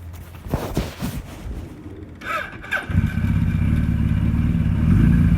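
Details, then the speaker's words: 1980 Kawasaki KZ1000 LTD motorcycle, mostly original, started on an autumn day in Minnesota: a few clicks and handling noises, then it catches and settles into a steady, deep, even idle with no knocks. Normal start and idle. "dialing [Music] big sharky roar anyway love this bike love autumn riding and uh just keep those plastic machines rolling"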